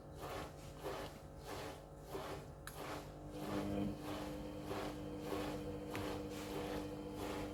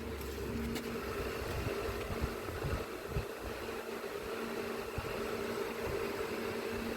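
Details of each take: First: Panasonic 7 kg front-loader washing machine after fixing error H07, on an 800 RPM spin cycle: soft rhythmic tumbling swish as the motor hum rises smoothly in pitch, spin speed now increasing normally instead of surging high and dropping. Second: Panasonic washing machine with H07 error, direct spin selected up to 2000 RPM: steady humming drone with rough rumble underneath; drum bearing worn, needs replacing.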